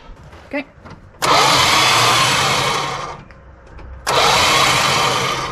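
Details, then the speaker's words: 1973 Dodge Dart Swinger, 225 slant six freed after 29 years locked, cranked with no spark, fuel line disconnected: two harsh whirring three-second cranking bursts, no firing; engine and belts turn but the starter sounds terrible. "okay well the starter sounds terrible in true chrysler fashion"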